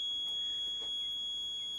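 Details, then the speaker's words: 2017 KTM EXC 300 two-stroke that would not crank: a steady continuity beep between engine and battery negative shows a ground connection. "beeping and that's a very basic test to say yes there is a connection"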